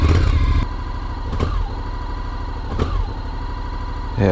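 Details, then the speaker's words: 2021 Honda NC750X DCT twin at cold start: idles evenly but each small throttle blip stutters and hesitates, and has stalled once. Recalled for lean fuel-injection ECU programming, before the ECU update. "so there's not any plane to throttle but when you open the throttle up just a little bit it always seems like it stutters whatever"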